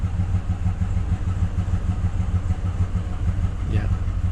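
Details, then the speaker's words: Truck engine after cleaning the oxygen sensor and intake, warning signals gone and running better; dull low knock repeating about three times a second at idle persists, cause undetermined, left for a mechanic. "still knocking so that's it I don't can't do anything more"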